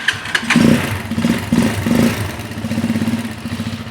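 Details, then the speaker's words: Carbureted Janus 250 motorcycle, fully warmed up with choke off: a few throttle blips, then on release the revs sag into an uneven, fading putter and the idle cuts out; idle speed set just a little too low, to be raised at the carburetor idle screw. "so this bike has now has been warmed up already and you can see if I let go of this throttle the idle cuts out it's just a little too low"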